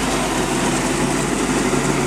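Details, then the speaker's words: Sea Ray 220 with 7.4 big-block petrol sterndrive on cold start, thermostat not yet open: busy rumbling rattle from a worn gimbal bearing, to be fixed with engine out; no leaks, oil clean. "gimbal bearing definitely is making some racket. Hear it? So I have to address that when the engine's out and everything."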